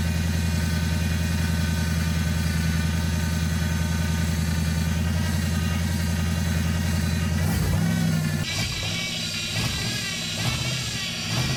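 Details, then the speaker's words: LS-swapped Chevrolet S10, first start: steady lumpy idle, then a rising whirr and harsh scraping hiss as revs change; a pulley mounted too close to the drive belt is rubbing it. "The pulley's really close to that belt, which was okay until I didn't account for the"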